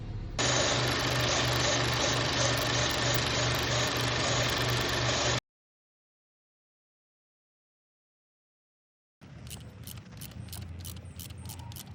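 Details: Audi/VW 1.8T/2.0T EA888 turbo petrol engine at idle with a dense, hissy drone and uneven pulsing; rough idle from a failed PCV valve (code P2279).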